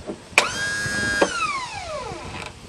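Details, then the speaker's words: About 20-year-old lawn tractor that sat 9–10 years, seized Bendix starter drive: a high electric whine spins up, holds, then coasts down without cranking the engine. The starter drive gear is not lifting to engage the flywheel. "well for some reason that little starter drive gear is not lifting up by itself and engaging the flywheel"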